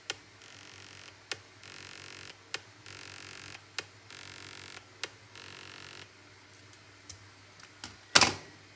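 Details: iPhone 14 Pro plugged in to charge: sharp clicks about every one and a quarter seconds, each followed by a faint buzz; ticking noise while charging.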